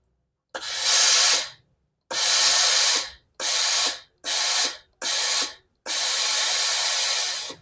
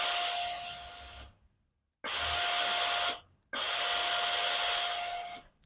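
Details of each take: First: Philips steam iron after repair: steam had come out weakly with a groaning noise at the front, spring stretched and reassembled; six clean forceful steam hisses stopping sharply, no groaning, steam now normal. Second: Blue Philips steam iron: each steam press gives a thin steady whistling hiss with weak output instead of a strong jet, pump sounding normal; suspected scale clogging inside, with red deposits seen in the steam channel.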